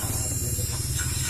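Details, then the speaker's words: Honda Beat FI scooter, fuel pump ground bypassing ECU to body ground, ignition on: steady low electric buzz that never cuts out; pump runs continuously while key is on, engine has spark and injector works, ECU fault suspected. "dia nggak mau mati hidup terus selama kunci kontak on"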